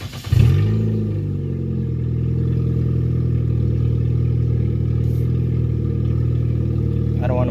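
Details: 2005 Nissan Sentra on ramps after swapping in a junkyard power steering pump and fixing belt slack: the engine catches and runs smoothly with no belt squeal. Power steering works; the engine jumps due to a missing lower torque mount.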